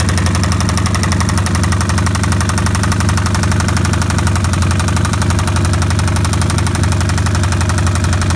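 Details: 2005 Kawasaki Vulcan 1500 V-twin idling with a loud, deep knock from the lower engine case, about three per second, after being ridden without oil and then overfilled with oil.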